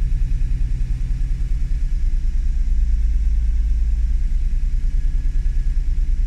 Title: NSX idle issue fault finding(4)